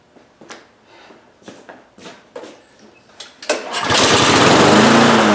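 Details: Husqvarna HU800AWD all-wheel-drive mower, Honda GCV190 engine, started without air filter to observe the choke: a few scattered pulls and knocks, then it catches and settles into a steady, even run with no misfires; normal running.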